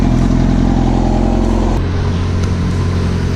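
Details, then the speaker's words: Yamaha R6 four-cylinder after replacing a faulty coil pack: steady, smooth idle with no stumbles, no jerking pulling off in first gear; earlier misfired at idle and in first gear. "so I just put the new a coil pack in and yeah the bike seems to run pretty good now"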